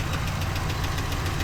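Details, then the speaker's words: 2014 Ram 1500 V8, cylinder 3 and random misfire codes despite previous repairs: idles with low lumpy non-stop thumping and a regular tick, a dead miss on cylinder 3; relative compression test to follow. "So, based on the fact that I hear this tick and we do have a dead miss here, just non-stop thumping."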